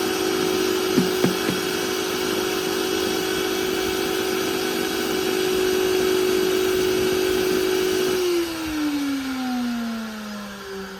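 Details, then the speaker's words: Industrial vacuum cleaner motor: steady high-pitched hum with a rough edge, then pitch and RPM sliding down; a rotor winding failing. "you hear this sound that's one of the windings on the rotor failing"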